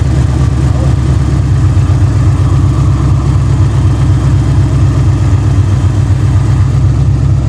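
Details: Ford Fox body Mustang, third start attempt after fitting a new Motorcraft starter solenoid, in neutral: deep, steady, even rumble with no misses, knocks or stumbles, holding a smooth idle; engine running normally.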